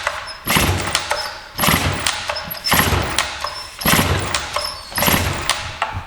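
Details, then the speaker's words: Free Stihl 044 Magnum two-stroke chainsaw with a 20-inch Oregon bar and a manual compression release, started after sitting many years: it bursts into life about once a second, surging and dying back unevenly and smoking heavily while burning off the old stale gas. "So, we're burning off that old gas and it's smoking a lot."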